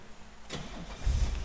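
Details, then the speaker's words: 1969 Mercedes-Benz 280 SL, odometer 71,476, warm restart during pre-purchase inspection, temperature around 180; short crank, catches in about half a second into a low even rumble; cold it needs 10–12 cranks. "so nice so okay so once it warms up it fires right up when it's been sitting for a while it's like 1012 cranks and then then it it comes alive"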